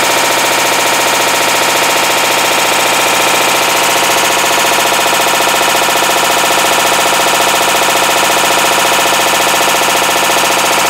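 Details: 2012 Hitachi BeatWash BW-D8KV washer, 8 years old, across wash/rinse/spin: loud constant rapid clatter with harsh grinding, floor shaking; failed clutch (second time), blamed on overloading with laundry.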